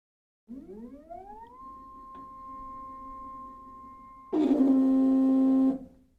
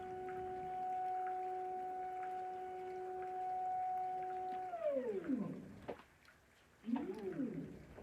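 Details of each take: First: EpicSaw PowerLift just installed on a Woodland Mills HM130 Max sawmill: motor whine climbs, holds, then jumps to a loud harsh strained drone as the cable tightens but the head stops lifting; owner suspects slipping or a wrong-size key; binding. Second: EpicSaw PowerLift on a Woodland Mills HM130 Max sawmill, running at a reduced lift rate setting pending squaring the unit: steady mid-pitched motor whine that sweeps down and rises as the head lowers and lifts; normal operation.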